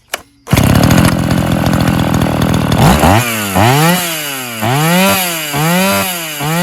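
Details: Old chainsaw (Brazilian-made classic, models like 133/152/120) restored and started: crisp start, high steady rev, then clean even throttle blips with no knock; engine now runs smoothly and healthily after restoration.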